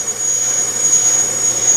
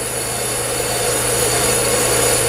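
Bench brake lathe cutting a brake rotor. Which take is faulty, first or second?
first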